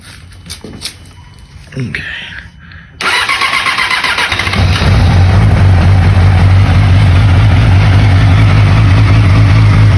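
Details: 2008 Yamaha R6 auction bike, battery just charged: brief starter whir, then the inline-four catches and settles into a steady, even idle with a smooth drone; starts and runs normally.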